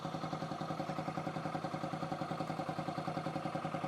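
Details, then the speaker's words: 2008 Yamaha XT125R Big Wheel, stored 12–15 years, carb cleaned, new battery: quiet, even single-cylinder tick-over, soft pulse two to three beats a second, no knocks; normal idle, multimeter reading 14.74 V at tick-over. "Yeah, so that is showing 14.74 on tick over."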